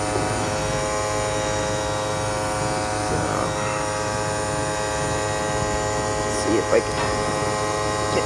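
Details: 2008 Toyota Prius AC compressor at 6000+ rpm on full cooling, low refrigerant charge: steady high whine with a faint beating, gritty grinding undertone from lack of oil and refrigerant cooling returning to the compressor; the discharge line is very hot.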